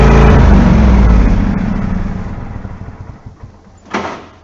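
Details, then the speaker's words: 14-year-old John Deere L130 lawn mower started right after installing a new mower deck belt: single-cylinder engine fires with a strong, even low thump, then settles and fades smoothly with no knocks or misses, running normally. "It works. Job successful."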